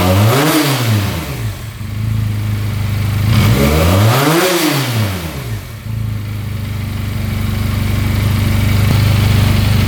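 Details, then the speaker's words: 2022 Benelli 302S motorcycle bought at auction; two clean rev blips rising and falling smoothly, then a steady, even low-toned idle, no smoke or leaks, restarts instantly; sounds healthy with no issues found. "It's running awesome. I don't think there's any issues with it at all."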